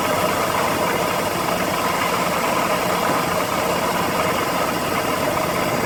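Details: BMW E46 330i ZHP, engine cold, idle; tensioner and deflection pulleys, DISA replaced and VANOS rebuilt with anti-rattle kit, yet busy metallic rattle persists over engine hum — engine rattle, source unknown.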